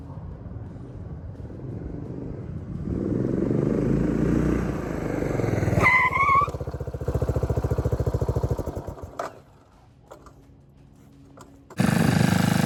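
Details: 1997 Suzuki Savage 650 single, 2,000 miles, parked nearly 20 years, after a full carburetor clean and a new battery: the thump builds with a clean rev blip, then settles and shuts off with no misfire or rattle; runs healthy.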